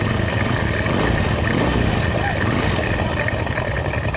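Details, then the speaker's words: Honda Astra Star small single-cylinder motorcycle that had a top-end rattle, idling after a new original part was fitted and oil reached the top end: even, smooth low rumble, no ticking, not yet warm; normal idle. "Tuh ya, suaranya jadi halus ya teman-teman, halus. Jadi gini teman-teman, ini kan sudah halus, biarkan dulu sampai panas."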